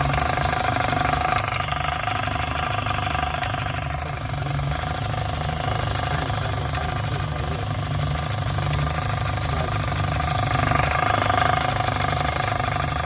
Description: This 2021 Audi S4 has a rattle noise and cilynder 4 misfire and we might to tear it down to find out.